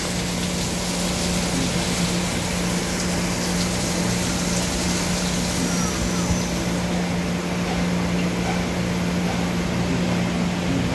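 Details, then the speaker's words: 2013 Doosan Puma MX1600ST CNC mill-turn lathe, Fanuc 31i-B5 control, sub spindle run at 1,500 rpm: steady, unwavering hum at constant speed, no grinding or clunks over shop noise; looks and sounds good, normal spindle run. "Got our sub. 1500. Sub at 15. Looks and sounds good."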